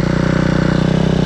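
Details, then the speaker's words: Small fuel-injected single-cylinder motorcycle idles with a steady but slightly lumpy, wavering beat. Idle is hunting, and the owner says the injection needs adjusting; cause not confirmed. "a dziwnie chodzi tak nie tak faluje Dobra zaraz go odpalę jeszcze dziwnie chodzi to prawda muszę wyregulować to jest wtrysk"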